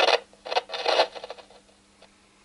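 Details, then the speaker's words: Volume-control potentiometer tested with a signal tracer, DC fed through the pot (battery then 3–6 V supply) with capacitor on wiper: irregular rasping crackle bursts as the knob turns over faint hum; scratchy pot from dirt or oxidation. "Okay, I'm going to go ahead and turn the potentiometer, or rather the volume control. So this is somewhat scratchy right there."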